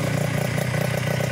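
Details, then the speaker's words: Yamaha Touch 125 motorcycle after engine rebuild, first start, still running in: smooth even exhaust beat at steady idle; earlier knocking and rumble fully gone, only a clear exhaust note. "Perbedaannya dari sebelumnya adalah suara dentingan dan gemuruh sudah hilang sepenuhnya. Yang terdengar hanyalah suara knalpot yang jernih."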